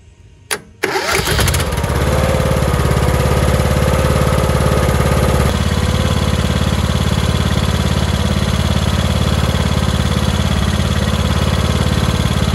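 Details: Lawn mower that only clicked at the key because of a bad solenoid, cranked by jumping the battery's hot post to the starter: it fires at once and holds a smooth, even run with no misses or knocks.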